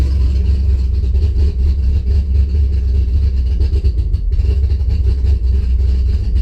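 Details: Engine cranks healthy but fails to start, then idles deep and uneven, lurching and dipping; spark to the coil had just been restored by moving wiring, fuel pressure 50 after prime (over 60 during), running really rich and sneezing fuel, cause unconfirmed.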